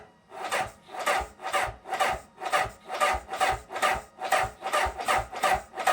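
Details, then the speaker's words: Honda CB750K with ethanol-free fuel: starter labours at only about two compression strokes per second, each dragging, cranking far too slowly to fire; slow crank and hard start. "I mean, that's slow to me. That is slow."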